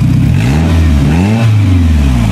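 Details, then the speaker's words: 2000 Toyota Camry petrol after replacing a failed, misfiring ignition coil (flex pipe rotted): the engine revs up and settles smoothly, with an even exhaust note and no stumble or misfire. "Revs up just fine and runs just fine"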